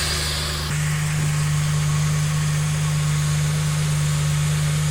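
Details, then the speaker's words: 2010 Dodge Ram 3.7 replacement engine after a broken valve seat, idling smooth and steady with an even beat; no misfire, no drips, no check engine light, much better than the previous engine. Normal idle. "this is already sounding much better than the last engine the last engine had a serious shape to it right about now all right engine looks like it's running pretty good doesn't seem to have a misfire"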